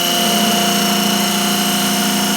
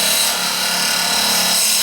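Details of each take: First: Wood lathe turning an ash/maple segmented bowl with an epoxy resin groove, Simple 90 carbide detailer, slowed to about 1750 rpm after chipping out: steady high singing tone over an even hiss, no chatter. Clean cut at the correct speed. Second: Turning an ash/maple segmented bowl with an epoxy resin groove on a lathe at high speed with glue-hub and tailstock support; a non-acrylic tool hitting the resin gives a harsh dry scraping rasp as it chips instead of cutting cleanly.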